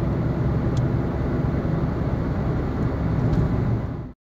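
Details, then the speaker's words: Car wheel bearing in final worn stage, just before replacement: heavy, constant low rumble and gritty growl at steady speed with metal grinding and crunching; worn wheel bearing at risk of locking the wheel. "sound of metal grinding against each other accompanied with sounds of something crunching and breaking be aware that this is the final phase of the problem and that the wheel bearing is on its last legs"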